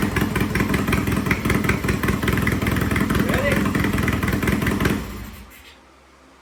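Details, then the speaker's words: Triumph T100 vintage British twin after repair: loud, even rapid popping with steady beat until shut off; runs strong and sounds good, some smoking, to be judged after a few miles. "good. Loud, sounds good. Yeah."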